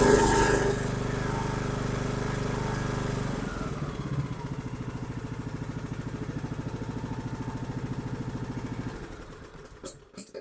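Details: Troy-Bilt Pony 42X riding mower, after fitting the correct carburetor and linkage: runs smooth and even at steady speed, then shuts down cleanly; fixed.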